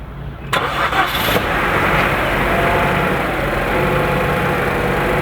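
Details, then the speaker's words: 2012 Chevrolet Cruze 1.4L turbo with a blown head gasket, cold start after sitting overnight: starter whirs briefly, engine catches cleanly into an even, steady idle with no stumble. "all right well that is awesome news um they usually do start up but they'll stumble to a stop andart and restart but this thing has been perfectly smooth starting"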